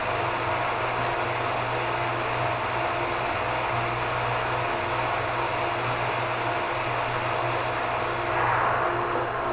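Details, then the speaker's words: Hot tub pump in pump room on backwash draining the tub: steady whir, then tone shifts and thins near the end as the tub empties; this sound change signals draining is done. "Then you're going to wait for a change in the sound of the pump. So take note of what it sounds like at this moment, and then you'll hear when it changes."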